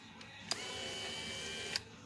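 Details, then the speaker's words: Infiniti G35 window motor, disconnected from the regulator and bench-tested. A click, about a second of steady high whir, then a click. It spins freely unloaded, but the owner suspects an internal limit switch (anti-clip) skips or is broken under load. Window went down by itself, then died. "it works but then the minute you're gonna put it on the regulator it won't because this motor has a limited switch inside that that's what controls your uh your anti-clip mechanism"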